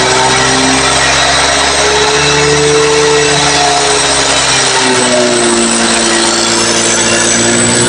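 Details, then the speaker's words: Honda BeAT FI eSP scooter (2018-2019), previously worked on elsewhere: high revving with harsh rattly clatter at mid to high rpm, engine dies when the clatter appears; cause not yet pinned down. "Kita coba gas blayer lagi. Ketika ada bunyi kemeletek itu langsung mati ya motornya."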